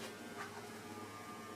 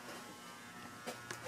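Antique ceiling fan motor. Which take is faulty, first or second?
first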